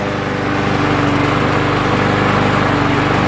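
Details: Troy-Bilt lawn mower with Briggs & Stratton 6.75 engine that would not start, after carburetor cork seal fix and priming three times: starts right up, steady even beat about three and a half per second; normal running.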